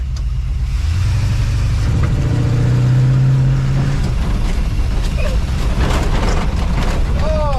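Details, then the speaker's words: 1963 Willys Wagon 4x4 resto-mod, V8 with throttle body injection and heavy soot, idle set high, neglected after years of daily driving; on a driveway test drive the low drone surges unevenly instead of pulling smoothly, engine running rough. "That's what I was talking about. That motor's not quite happy."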